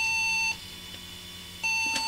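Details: Flea-market PC tower, no picture, tested with some RAM removed: high beeps about half a second long repeating every second and a half at power-on; owner suspects RAM problem, not confirmed.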